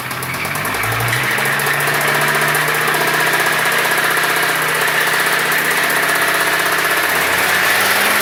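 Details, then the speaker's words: 1996 Volvo 850 that broke down: steady, piercing high-pitched squeal from start-up, holding constant over the running engine; cause unclear, owner plans engine rebuild. "a squealing sound so that now the engine makes a squealing high-pitched sound when you start it"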